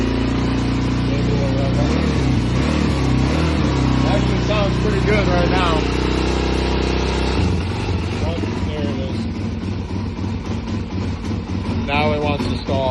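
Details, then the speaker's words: 2001 Suzuki DRZ400S single, 11,000 miles, sat unused spring and summer, started completely cold with choke on; thumps steadily on choke, then the beat sags and turns uneven as it starts to die once choke comes off, cause suspected not confirmed: stalls when choke is turned off. "as soon as that choke comes off. Yeah, choke went off."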